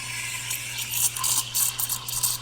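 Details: Espresso machine steam wand fully open, tip just off-centre and submerged in the milk pitcher, stretching milk below 100°F: fine rhythmic ticking and hiss over a steady steam roar, air drawing in correctly, normal milk stretching.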